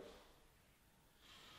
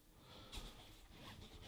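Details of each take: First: Door on standard mortise butt hinges without bearings, before replacement with ball bearing hinges: a quiet, brief high-pitched creak like a crying dog as it swings; the worn hinge squeaks. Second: Door after replacing squeaky standard mortise hinges with ball bearing hinges; soft swing and firm latch click with no creak or squeal, only carpet noise; quiet, smooth door operation.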